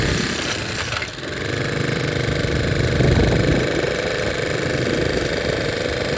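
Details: 1961 Honda 50 Super Cub 50cc single, engine rebuilt from parts in a crate, no battery, electrics unfinished, carburetor due for replacement: even putter at a steady fast idle, about three and a half pulses a second, no knocks; sounds healthy.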